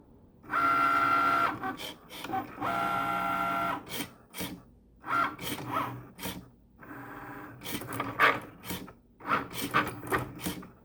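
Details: Cricut Maker motor whirring broken by irregular bursts of loud sharp clicks, about three a second, while cutting; not cutting or writing properly, calibration fails as the sensor can't detect lines, carrier way off center, stopped cutting at 63%.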